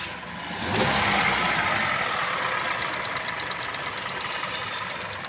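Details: Hyundai Creta idling unevenly with an irregular stumble, a misfire traced to the number 2 ignition coil.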